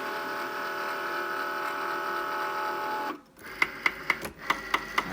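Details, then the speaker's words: New Cricut Maker cutting machine making a smile card: a steady motor whine, then loud, regular knocks about four a second as the carriage moves back and forth. "My machine is making a loud knocking noise. You'll hear it in just a moment when this device moves back and"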